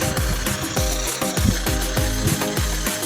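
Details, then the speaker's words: Washing machine spinning after a caught drain cable was freed, fixing constant draining: irregular clunking and scraping about every half second, abnormal; technician suspects something inside the drum. "Nag-i-spin na yan. So, may narinig kayo na ingay. Hindi yan normal."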